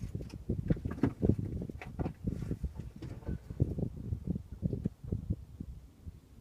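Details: Range Rover L322, engine off, wheel turned: irregular dull clunks and clicks, sharper toward full lock; track rod end ball joints looked fine, and a seized front passenger caliper caused wobble; source not pinned down.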